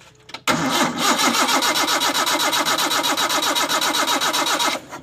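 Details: Toyota Kijang that will not start, spark confirmed at the coil lead: starter churns the engine at a steady rhythm of about four turns a second for four seconds, but it never catches and runs.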